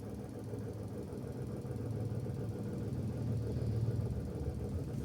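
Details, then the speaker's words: Suzuki Every DA17V minivan at warm low idle, about 800 rpm: a fast, light rattle that disappears above 1000 rpm or with throttle. The owner suspects the tensioner bearing, but replacing it didn't cure the noise, and the source is unknown. "May maingay diyan feeling ko tensioner bearing yun or something."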